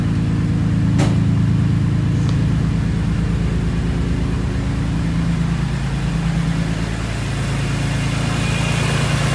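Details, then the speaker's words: BMW E46 M3 at 173k miles, first start after pulling the engine for a DIY rod bearing job: steady, even idle with a regular low pulse and no knocking. Owner notes slight shaking, probably needing warm-up; light smoke is oil on the exhaust. "Car is shaking a little bit. I don't know if that's just because it's... Yeah, it probably just needs a little warm up and good idle, but..."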